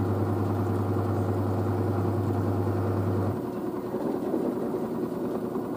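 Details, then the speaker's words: New washer dryer spinning at 600 rpm after a pre-spin: a low steady hum settling into a quiet, even whir with no banging or grinding. The front panel flexes slightly but the machine stays stable. Normal spin cycle. "the front panel flexes a bit there but the actual machine is quite stable so so it's so quiet 600"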